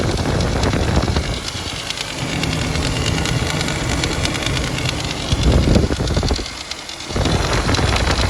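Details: Toyota Land Cruiser 80 (FZJ80) with 1FZ-FE engine: steady idle with a loose, uneven rattle over the low engine note and a brief rev; source unclear from sound; engine rattle.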